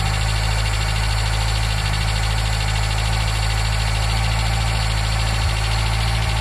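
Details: Nissan Micra K10 after the carburetor auto choke was repaired, warming from cold: steady, even low drone with no stumble or misfire. It sits on fast choke idle, and the choke later opens.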